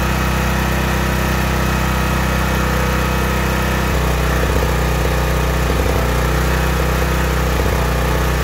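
Small petrol generator engine running steadily with an even low hum, the sound of a correct fuel mixture.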